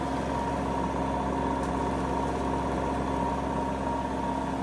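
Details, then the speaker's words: AEG Lavamat Silent System Plus 86850 washing machine, street find, spin about nine minutes into cycle: even steady hum, soft whirring drum, no knocking or grinding; quiet motor with faint sand-like sound, possibly dried debris flaking inside. "it is a wonderfully silent motor i hear that it sounds a bit like sand or something"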